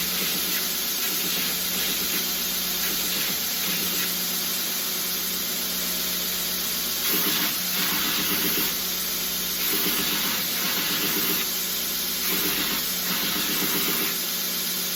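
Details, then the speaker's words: OBM surface grinder attachment with 90 durometer wheel on a 2x72 belt grinder, flattening a blade side: steady even abrasive hiss over constant motor hum, no catching or chatter; normal clean surface grinding. "So I'm going to crank it up and get this side flat and just show you guys what it looks like."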